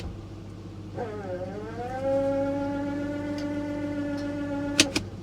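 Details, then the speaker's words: Repossessed Chevrolet Tahoe at Copart: after shifting into reverse or drive, a loud tone sweeps up then holds a steady groan for seconds; cause unknown, transmission pump guessed but doubted, worse than a normal pump whine. "I've heard the pumps on Transmissions whine before but that's like a that's like a death grown"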